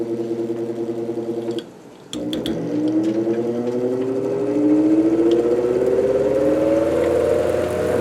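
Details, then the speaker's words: 1949 GE Vortalex 12-inch desk fan during repair, oscillator locked, spinning up: rising hum with an uneven wavering whir from a wobbling blade, which straightens at speed; owner thinks he can fix it, and a bent shaft is to be checked. "And it's got some wobble. And that is purely because I really wish I could find a new blade for this because I think I can fix it though."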